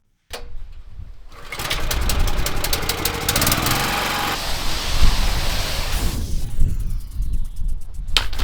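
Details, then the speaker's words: Petrol pressure washer engine during a driveway rinse: catches, runs rough and unsteady, sags and is pulled over again; keeps stalling, seemingly worse at high revs and not when turned down. "I think this could be related to the revs. If the engine's revving too high, it seems to conk out easily. Doesn't happen if I've got it turned down."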